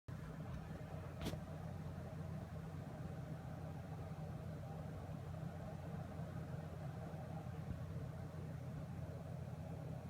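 A steady low electrical buzz holds constant the whole time with no rhythm; this card is buzzing, cause unknown.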